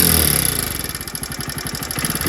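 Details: One-year-old Hero HF Deluxe BS6 motorcycle after clutch plate change and tappet setting to cure engine noise and weak pickup: quick even single-cylinder idle, about ten firm beats a second, no tapping on top; healthy.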